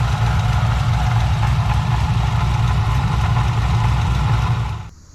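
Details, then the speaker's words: 2014 HSV VF GTS, supercharged LSA V8, 76,000 km, coupling already changed: lumpy idle with a light uneven rattle and ticking. Attributed to the coupling and bearings; worn supercharger snout bearings suspected. "But if you can hear a rattling noise there, that's actually the bearings and the coupling that's making that noise."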